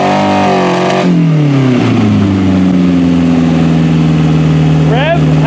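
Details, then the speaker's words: Toyota Camry wagon (1991-1996) engine running on a homemade standalone wiring harness, harness still untested. Revs up, then drops smoothly back toward idle with no misses, knocks or stumbles: running healthy. "as far as I can tell this thing's running good well it's running good and I'm pretty happy about that"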